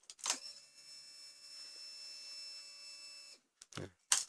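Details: Yamaha Vixion fuel-injected motorcycle at key-on: thin steady whine for about three seconds then cuts off cleanly as the pump fills fuel; normal fuel pump priming.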